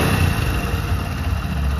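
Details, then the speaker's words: Hero Honda Splendor single-cylinder bike after repair of a fault that caused missing and stalling: low, steady idle with even beat, starts easily, no misses or knocks; running cleanly. "काफी बढ़िया से start भी हो रहा है आप कोई भी प्रॉब्लम नहीं है"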